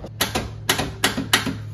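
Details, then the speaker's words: 1971 Volkswagen Beetle parked 23 years: the starter is tapped to test it and gives sharp paired clicks about twice a second with no cranking. A bad starter is suspected; the ignition switch is later also suspected. "that's our starter it's not working this is a bad starter so why is our starter not working incredible"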